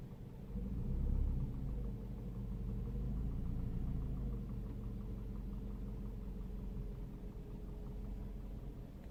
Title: seat leon, strange noise coming from the torpedo ! Help please !